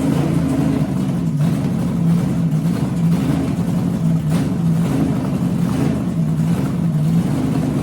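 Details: 6-inch rodded 350 Chevy V8 (HQ Holden Kingswood project), run after fixing the MSD box earthing fault; loud high idle surging about once a second, not settling; hunting; owner notes a couple of vacuum leaks.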